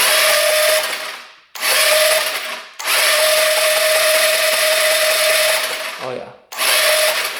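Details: 2017 Taotao 150cc four-stroke scooter bought as non-running, electric start with brake held: several high, whirring starter bursts of one to three seconds and the engine never catches. Good spark confirmed, plug reads lean. Cranks, won't start.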